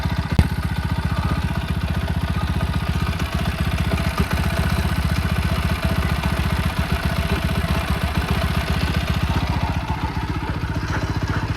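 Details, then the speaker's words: Ticking from the top of the engine on a TVS Apache RTR 200 4V single-cylinder at idle: light, regular ticking about four a second. It is faint now but the owner says it grows much louder after riding a while. The engine light is on and the cause is unknown. "और यह ऊपर side से आ रही है थोड़ी टिक टिक टिक टिक टिक करके मतलब ऐसा ही कुछ है"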